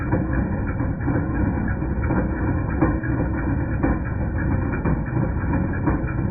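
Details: 2010 Jeep Patriot Sport 2.0 at steady idle: irregular metallic clank about once a second; persisted after new power steering pump, pulleys, tensioner and belt; alternator replaced and noise went away.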